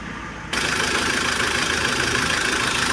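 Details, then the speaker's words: Mahindra Scorpio diesel running with harsh busy clatter and rough tak-tak tapping; opened up, No. 1 connecting rod bearing found seized with heavy play; rod knock. "हमने इसका chamber खोला तो ये हमने देखा कि इसका एक नंबर का कनेक्टिंग बैरिंग पूरा चिपक गया है। कभी ऐसा हुआ हो ये पूरा यहीं से साउंड आ रहा है।"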